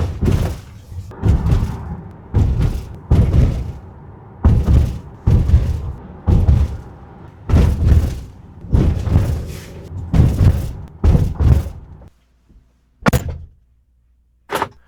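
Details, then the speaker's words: Jeep Grand Cherokee over bumps after taping the rattling cable and trimming floor mat: dull low thumps about once a second with no rattle; quiet cabin, rattle fixed. "这是之前的声音，现在是修复以后的声音，大家可以听一听，对比一下，杂音几乎没有了。"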